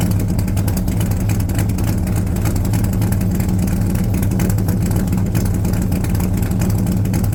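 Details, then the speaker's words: 1978 Corvette C3 V8 with newly fitted side pipes, after heads refitted following a year sitting: loud, deep, even lumpy burble through open pipes, no knocks or ticks; healthy cold idle. "so I got to admit pretty happy pretty happy with the sound pretty definitely happy with the look"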